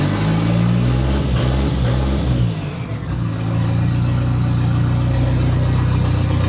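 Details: "!200" engine after exhaust cut and catalytic converter removal, running worse, coils swapped: revs come up lumpy and stumbling with a sag midway through the blip. Seems fuel-starved though fuel pressure holds about 38 psi. Misfiring, cause not found.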